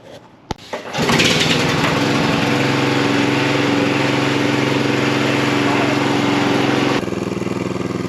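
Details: John Deere 14SB mower test run after cleaning, new fuel line and new blade brake clutch bearing: pulls over, catches and settles into a steady, even drone dipping slightly near the end; runs normally.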